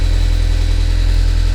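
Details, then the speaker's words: Sports-car flip project bought with low oil pressure, battery charge uncertain, started briefly: a loud, heavy idle with a hard, rapid clatter almost like a diesel. Rough engine clatter, cause not yet confirmed. "oh so as you hear it it almost sounds like a diesel that's how bad it is"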